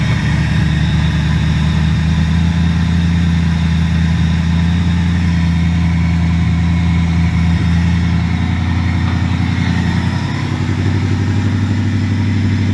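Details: Ford V8 after 4V swap fixes (alternator AC ripple checked, ECU board cleaned): deep even idle with steady low rumble and clean rise in pitch on revs; runs smoothly with no stumble.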